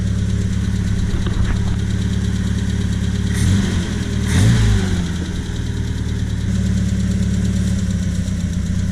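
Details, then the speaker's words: 1978 Triumph Spitfire with Weber intake manifold, stalling and losing power when warm: the idle stumbles and shifts pitch only when one manifold corner is sprayed; intake manifold gasket vacuum leak, confirmed on teardown. "So watch what happens when I spray right here in this corner. the idle's changing. Not over here, not over there, only in this spot. That idle's definitely changing."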